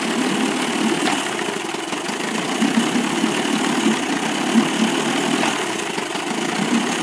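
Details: 1998 Evinrude 25 outboard misses at low rpm, lower cylinder only; uneven stumbling idle with dropped beats; good spark both cylinders, charge coil 330 V, power pack 170 V, trigger 10 V, carb cleaned, coils and plug wires swapped, cause not found.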